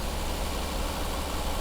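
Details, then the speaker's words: 1969 Mercedes 280SE with repaired mechanical fuel injection pump, reset timing and external fuel tank, first start in 18 years: smooth, even low rumble, steady beat, no knocks or misses; idles cleanly and sounds healthy. "holy moly yep we have us a running 280 SE"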